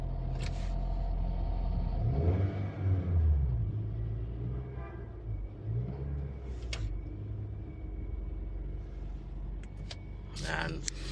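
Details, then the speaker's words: Honda City 2018 idling: heavy, steady low drone inside the cabin with strong steering wheel vibration, caused by flattened, worn engine mounts; the engine itself is fine. "Napakalakas ng Ugong makina so damama talaga dito sa loob"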